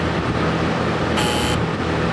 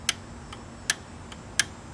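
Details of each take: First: Air-cooled P502 TIG welder, high frequency switched off: short bursts of thin metallic buzz over a steady hum from the middle relay chattering while the right relay, which controls the big relay, is held firm. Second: Air-cooled P502 TIG welder relay, points cleaned and sanded, pushed in and released by hand: six crisp clicks alternating loud and soft as the contacts close and open properly; normal relay clicking.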